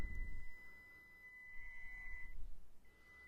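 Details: Panda Tetra X2 crawler with stock brushed ESC: thin, steady high-pitched whine at low throttle with little smooth motion; the stock controller gives only an inconsistent slow crawl, before upgrading to a Furitek Lizard ESC.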